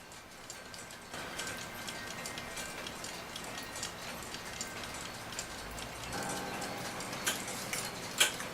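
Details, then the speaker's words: Rusty brass-coloured Forestville alarm clock, after removing, oiling and refitting the movement, ticks faintly and steadily under a soft hiss for days with no stalls; the clock is running normally. "otherwise this thing seems to be ticking away just fine it's been a few days now"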